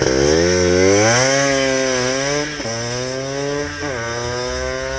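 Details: Benelli with Blaster two-stroke engine swap, finished build on a shakedown run in a parking lot: crisp revs climb smoothly, drop and pick up through the gears with no bogging or misfire; engine sounds healthy.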